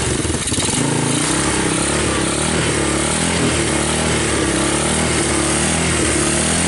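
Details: 1986 Honda TRX200SX Fourtrax ATV, abandoned in bushes and unstarted for years, first start on choke with key switch bypassed: the single cylinder runs steadily at fast idle with an even exhaust beat, no knocks, and the wheels turn; normal running.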